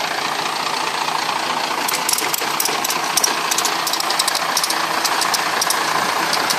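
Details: Broken boat engine running: harsh rattly sound with irregular clicks and knocks about three to four a second over the drone, sounding worn out; rough running, and the engine is said to need replacing with a new one.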